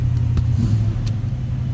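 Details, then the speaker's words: 1967 Mercury Cougar XR7, 351 Windsor V8, automatic, just after a cold start, heard from inside the car; deep steady rumble at idle, even beat, no knocks or misses, good sounding car. "That was a cold start too, so I wouldn't expect the temp gauge to be up. Amp meter over here. Good sounding car."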